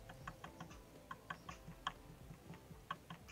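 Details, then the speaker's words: Engine stopped, connecting rod rocked by hand while pulled: light, uneven metallic clicks from excessive side-to-side and front-back play, only audible when pulled; worn big-end, rod due for replacement. "nah seperti ini suaranya kalian bisa bayangkan kalau ini dihentak oleh putaran mesin jadi cara ceknya harus ditarik kalau tidak ditarik seperti ini tidak akan bunyi"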